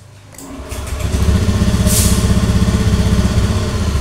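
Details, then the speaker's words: Honda Beat FI scooter that sometimes wouldn't start and kept stalling, tested with the side-stand switch bypassed: the starter catches quickly, then a steady, even putter of about four pulses a second holds without dying; normal idle. "Oke nyala stasioner Nyalakan lagi starter lagi agak bpet si bak ulangi Oke nyala tidak mati sekali lagi nyala tidak mati sekali lagi"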